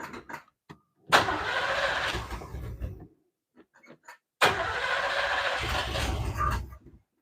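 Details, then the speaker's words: Classic Malibu, owner unsure it will start and suspects a carburetor problem: two cranks, each catching into a rough burbling run, tailpipes sounding underwater, dying when goosed; engine stalls after starting. "I don't I don't think they can hear the way it sounds, but it sounds like the tail pipes are underwater and then you goose and it dies."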